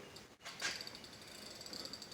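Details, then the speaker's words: Fishing rod pulled hard in a cheap Dasmarine rod holder as a load test: rapid high-pitched reel drag clicking swells as the rod loads, normal drag slipping at its limit, and the holder doesn't turn. "you can hear the drag clicking on it. So that's as hard as it would pull, and the thing doesn't turn."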